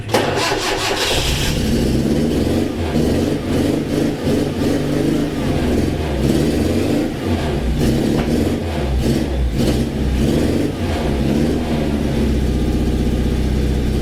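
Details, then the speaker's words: 1980s Suzuki SJ (Jimny) off-roader four-cylinder: after cranking, uneven lumpy idle with dropped firing pulses; not running on all four, cause unknown, owner had played with the leads. "fired up as you can see in here it's not running on all four and I'm not sure why"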